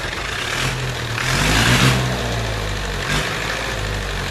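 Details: IH B275 diesel tractor that previously would not run, no fuel cut-off: clatter on all four cylinders with speed surging and sagging unevenly; rack was stuck and freed, governor suspected bad, not confirmed.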